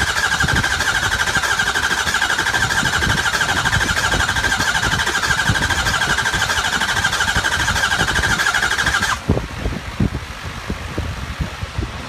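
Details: 2003 Ford 6.0L diesel with replaced high-pressure oil pump, IPR and FICM checked OK: fast, steady starter cranking for about nine seconds with no firing pulses or catch. Cranking, no start.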